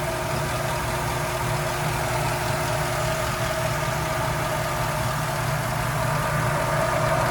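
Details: 1991 Toyota Land Cruiser HZJ75 with 6.0 LS V8 swap, hood open: deep, even V8 idle with a steady rumble and no knocks or misses; healthy, settled idle.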